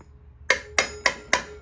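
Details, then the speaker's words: Small-block Chevy (4-bolt main, 400 crank) cylinder heads being reassembled, valve assemblies tapped: four sharp taps each leaving a clear sustained ring, unlike dead sound when heads were removed; springs and collets seated properly. "But when I first took these heads off, there was no sound. They were all dead sounding. Hear the ring? Hear the ring?"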